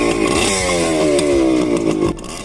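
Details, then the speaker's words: Cheap $500 used adventure motorcycle, not fully warm, started after earlier attempts: crisp revving rising and falling cleanly with throttle, no misfires or knocks; sounds good. "Here we go. Oh, wow. Wow, that sounds good."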